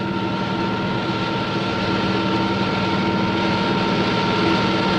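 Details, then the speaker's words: Propeller model in a water flow at constant speed and pressure: dense hissing crackle with steady tones, growing louder as propeller RPM rises into cavitation. "the noise is generated by the collapse of these Bubbles as they move into the higher pressure in the diffuser"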